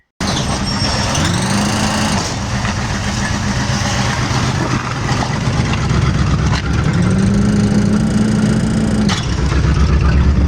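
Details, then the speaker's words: 1979 Corvette off the road since 1995, first start and pull-out under its own power in about 20 years: V8 fires, settles into a steady rumble, then pulls away with smoothly rising tone; normal running. "Well, there we go. It pulled out under its own power for the first time in 20 years."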